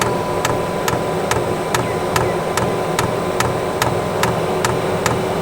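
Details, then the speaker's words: Newly installed eBay diesel heater in family caravan, first start: dosing pump ticks a bit over once a second over fan hiss, still priming; not yet ignited. "that's good obviously you can't feel it but that's all right it hasn't ignited yet"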